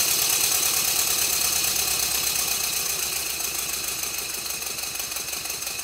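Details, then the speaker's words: Rebuilt Stuart Twin Victoria model steam engine, baseboard on bubble wrap, after a minor timing tweak, re-oiling and silicone O-rings fitted to the crossheads: even chuffing about three beats a second, no knocks or rattles; running smoothly. "after a minor tweak to the timing and re-oiling all of the moving Parts this is what the engine now sounds like"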